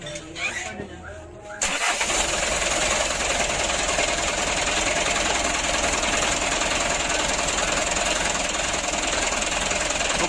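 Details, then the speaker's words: Mitsubishi Canter diesel truck with hard starting, after adjusting fuel load, governor and idle: brief crank then catches at once, settling into steady clattery idle, much easier than before; normal diesel start and idle. "kalau yang pertama tadi agak sulit ini sudah mudah loh"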